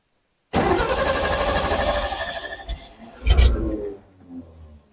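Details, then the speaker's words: 1950 Chevrolet truck after fuel and ignition system work, started in neutral: engine catches abruptly, runs rough and sags, then gets a burst of throttle before fading; hard start, likely wanting some choke. "we're going to hop in and see if it won't make some noise god it's tight in here neutral oh there we go that's so annoying"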